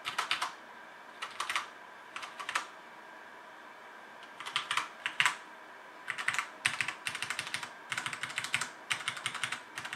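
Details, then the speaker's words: Cherry MX Red switch mechanical keyboard (HyperX Alloy FPS Pro) with PBT plastic keycaps and aluminum top plate, typing test: quick bursts of crisp, even key clacks with a clean, consistent tone and no rattle; normal healthy typing sound. "this is cherry mx red switches with pbd plastic keycaps and an aluminum top plate so it's how this keyboard sounds"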